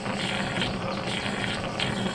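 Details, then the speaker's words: Travel trailer RV, not winterized: the diaphragm water pump runs dry, sucking air, with a steady rattly buzz over a low hum and uneven chatter. Running dry doesn't hurt it briefly; the pump is believed bad and was later replaced. "Okay. Let me cut that pump back off. It doesn't hurt them to run dry. It's a diaphragm pump."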